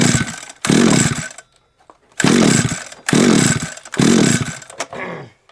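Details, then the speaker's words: SGS Engineering 26cc two-stroke strimmer with wire brush head, plug back in, switch on, good spark: three short sputtering coughs that fade, fires briefly but won't keep running; owner suspects a wiring issue. "something tells me might be a bit of a wiring issue somewhere i might have uh good coughs it's got spark but then it won't cough"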